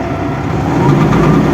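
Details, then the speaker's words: Dongfeng truck, transitional Euro-6 model without retarder: steady diesel drone with an uneven low-end clatter, the engine still knocking as before (noted at 4100); knock left unfixed, cause unknown. "Ну что поехали Денис мотор как стучал так и стучит 4100"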